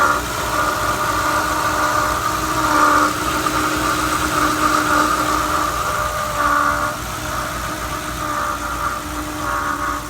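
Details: 2011 Ford Crown Victoria 4.6L at idle, before water pump replacement: constant high whine with a faint rough edge; water pump bearing failing, found near failure when replaced.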